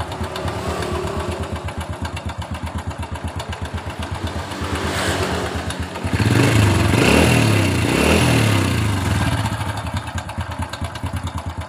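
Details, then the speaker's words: 2007 Honda Supra Fit New motorcycle idling with a rough, tinny kletek-kletek clatter around the cylinder head; the cam chain is very slack, and the tensioner rollers are checked, with chain replacement if adjustment is maxed out. "Ya, biasanya rantai ketengnya yang bunyi."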